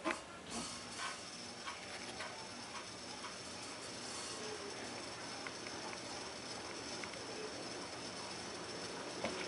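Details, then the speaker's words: SMC Park Avenue III DC52 ceiling fan on high speed: steady dry hiss with faint ratchety rattle and occasional light ticks, bearing noise, faint on low and clear on high. "you can definitely hear the bearing noise on here"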